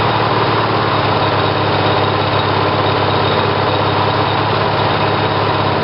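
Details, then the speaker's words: Briggs & Stratton 18 hp twin vertical-shaft engine (model 822707) with GM LS2 coils triggered by failed magneto primary; smooth even drone at steady speed, no misses, knocks or surging; normal running. "so it seems like the engine starts fine and and runs fine"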